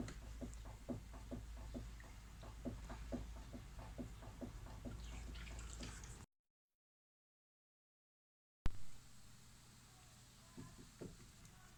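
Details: Lada Vesta suspension knock: light, hollow knocks a couple of times a second over a quiet background, identified as worn stabilizer (sway bar) links.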